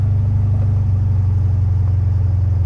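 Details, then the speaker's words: 1976 VW Super Beetle, air-cooled engine idling fast and steady with a deep rumble: idle is way too high because of a sticking throttle cable, possibly the wrong length, and it slowly drops; a new cable is recommended. "So, the idle right now, you can probably hear it. It's way high."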